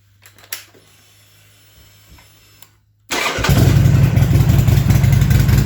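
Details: Buell XB12Scg Lightning Low V-twin after tensioner replacement and spark plug wire repair (likely cause of earlier dying); starts at once, quiet ticking then strong, even loping idle with no misfire: normal start and idle.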